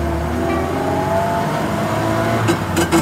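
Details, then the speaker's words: Car driven on the road with a worn rear axle differential, before any additive: steady mid-pitched hum under road and engine noise, worse on throttle lift-off; worn differential hum. "прокатились вернулись как это всё гудит Вы слышали"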